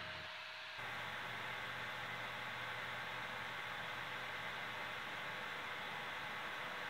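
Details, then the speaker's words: CPU cooler fan in an older, rarely dusted computer with dust buildup on the heatsink: steady loud airy rush with low hum that jumps up after a second and stays even, making a lot of noise, before cleaning. "in today's video I'm gonna troubleshoot this problem I have with the CPU fan it's making a lot of noise as you can see this is an older older computer"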